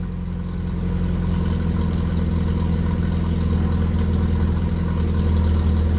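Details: 1981 VW Rabbit with 1.8 swap, after installing 4-2-1 dual downpipe and thrush muffler to fix suspected front manifold leak; deep even low rumble swelling slightly as revs rise, no ticking or puffing: normal, sealed exhaust note.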